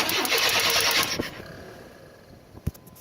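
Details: Chevy S-10 that won't start, after a new battery and fuel confirmed present: about a second of brisk, even cranking, roughly three beats a second, then it quits unfired; no spark from burnt distributor cap connections.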